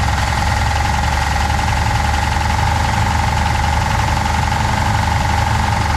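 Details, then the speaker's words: 1966 Pontiac Catalina V8 parked 20 years, no radiator, belts removed: harsh continuous heavy low metallic clatter over steady idle, first taken for rod knock; apparently the torque converter weight hitting the flywheel cover. "so i was looking for the very aggressive rattle that i kept thinking was a rod knock i took the belts off it's still there i crawled under the car and i think it's got something hitting the uh flywheel cover"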